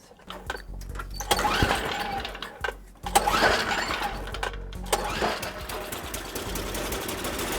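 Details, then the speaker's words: Toro 521 snowblower started with fuel on and primer pumped: uneven pulls and sputters give way to a buzzy, fairly steady run; it works and may not need carburetor work. "well it works I might not even mess with a carb why put money into if you don't need to"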